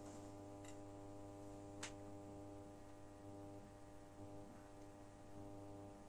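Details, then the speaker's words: Genius 5.1 home theater system under repair, volume at minimum: steady low mains-frequency buzz with faint ticks from the satellite speakers, same on every channel, disappears when a board connector is removed; mains hum. "now you can hear from the satellite it's a very very big noise the volume is at minimum but there is a problem with this annoying noise"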